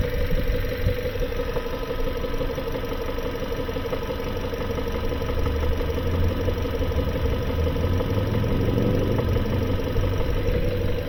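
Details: 2018 Kia Sorento just past 100,000 miles, smoking: deep uneven knock at idle, about three beats a second, over a low rumble. The engine is blown internally with blow-by past the rings; it must be towed.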